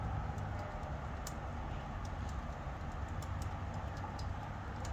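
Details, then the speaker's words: Rear bike derailleur, pedalled slowly after air travel: faint, slightly irregular high clicking, caused by debris on the jockey pulley rather than a bent derailleur; fix is cleaning the pulley. "it's like a clicking noise that's going on and you can also see in this video what may be the problem right there let me see if I can focus on that as you can see there's some debris on my pulley that may be causing the clicking noise"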